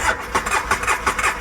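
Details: Two-cylinder ATV, starting fluid sprayed in: steady cranking with no catch or firing, so it cranks but won't start; spark is present on both cylinders, a plug looks oil-burnt, and the owner suspects it needs a top end.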